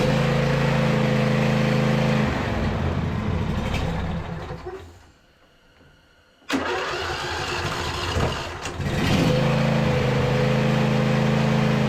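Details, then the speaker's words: Neglected 2018 John Deere E180 riding mower V-twin, started on a squirt of fuel with choke: catches, runs, fades and dies, then restarts to an even idle; runs only on primed fuel; rear tank needs fuel pump, pump supply fault suspected. "the tank on this machine sits a little bit lower than the carburetor or it sits pretty close to level so you need because it's a rear tank you need it to pump up to the carburetor and keep a constant flow"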